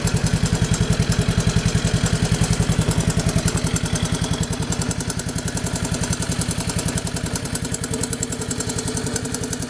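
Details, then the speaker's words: Honda 185s three-wheeler single-cylinder idling after an oil change and recoil repair. Steady, even thumping idle around 158 beats a minute with no loud tapping; the earlier loud tap quieted after the oil change. Normal idle. "i'm gonna go ahead and crank it up and let it idle a minute and then i'm gonna check it again see if it uses any"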